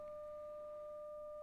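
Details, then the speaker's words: Philips Model 148 tube radio under restoration, signal-generator tone fed through a DC blocking capacitor to the output tube grid at about 7 V RMS: clean, steady mid-pitched tone with no hum or crackle; output tube works; normal output stage. "yes I can hear it let me put it up a bit more okay that's at seven volts RMS that's pretty high but that means"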